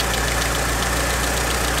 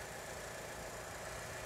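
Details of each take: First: Mitsubishi Evo 6 idling, before replacement of hydraulic lifters (old type with 1mm oil hole): quick, light, fast even ticking from the top end over a steady idle hum; tappety worn hydraulic lifters. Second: Mitsubishi Evo 6 petrol engine idling, heard under the bonnet after its hydraulic lifters were replaced and the AC compressor was fixed: smooth, quiet idle with a faint injector tick. The lifter drumming and compressor clicking are gone.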